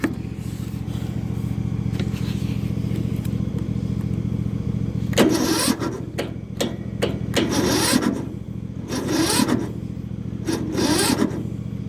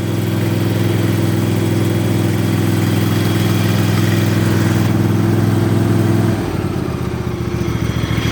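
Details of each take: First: Yard Machines small engine on a cold, frosty morning (about 33 degrees), choked. The starter drags the engine over slowly in labored bursts, stopping and retrying without catching. It ran fine yesterday but won't start after sitting overnight; owner suspects a weak battery, not confirmed. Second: Yard Machines single-cylinder mower in cold weather around 30–33°F, valves recently adjusted, started on a charged battery with jumper cables: loud, steady, even low drone settling to a slightly lower idle; normal idle, battery suspected weak.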